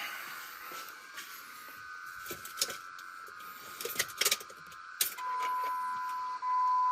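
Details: 2004 Jeep Grand Cherokee 4.7 High Output, 225,000+ miles, after fuel injector replacement; key cycled three times without starting, coil out, checking for leaks; steady electric hum for a couple of seconds each time. Normal fuel pump priming.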